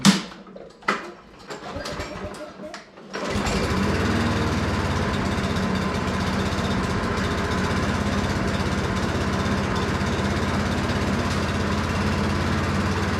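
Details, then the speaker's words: Self-propelled lawn mower after a new carburetor, a new spark plug gapped to 0.030 in and old go-kart gas: catches after a few pulls, then a slow, loping idle about three firings a second; low idle from disconnected governor spring. "sounds weird to me I mean it runs good it just sounds like it's a really low idle that's odd"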